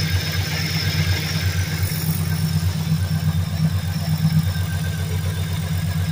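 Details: 2003 Mercury Grand Marquis LSE with swapped 5.4 3V short block (11.7:1), Trickflow heads and stage 3 cams, long tubes, at idle: dull uneven knock under the deep V8 rumble, steady throughout; rod knock.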